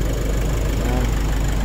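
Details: Nissan Navara diesel after the defective boost sensor was replaced to cure a no-start. An even diesel clatter at steady idle with no misses or hunting. Now running normally.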